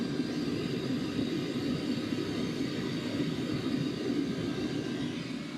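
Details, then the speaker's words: Sunster/SunChaser HTB1 diesel air heater after replacing the fuel pump, on maximum setting and hot: smooth even blower roar with low steady hum and no pump ticking; some ticking still heard on low setting. "Absolutely no ticking."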